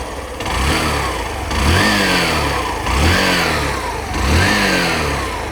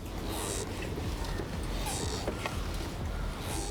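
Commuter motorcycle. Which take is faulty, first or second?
second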